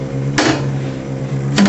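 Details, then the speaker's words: Dry-ice blaster after trigger pull: steady motor hum with sharp knocks about once a second as the percussion arm bangs the hopper side, keeping ice pellets flowing to the feed screw. Normal operation. "that knocking sound that you can hear is a percussion arm which repeatedly bangs against the side of the hopper to keep the flow of ice pellets nice and smooth down into the"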